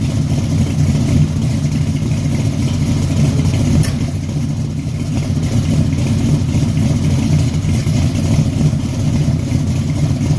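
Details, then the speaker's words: 1974 Chevy Caprice V8 after tune-up, cold start: deep, even idle with smooth steady burble and no miss; an earlier exhaust-audible misfire was cured by adjusting the valves. "once I got the fooling around with these valves um shoot everything got to working like it's supposed to sounding good yeah"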